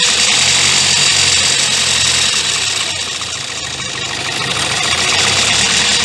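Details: 2016 Kia Sportage 1.7 CRDI diesel, fully warmed up, idling with the phone near the open engine: fast, steady metallic rattle. Timing chain suspected; the noise worsened over time and persisted after accessory belt and pulley replacement.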